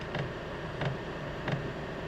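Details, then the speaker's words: Newly installed diesel night heater in a Ford Transit van, started from cold. Soft, regular ticks about every two-thirds of a second over a low hum as the pump primes fuel through before heating. Normal priming. "you can maybe hear that pumping now. So that's starting to pump the fuel through, and then it should start to go into the internal heater, and hopefully we should start getting heat through that pipe."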